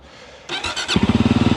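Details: Brand-new fuel-injected Voge 300 Rally single-cylinder motorcycle: a brief buzzy starter churn, then it settles into an even, quick putting idle with no knocks or rattles; normal start and idle.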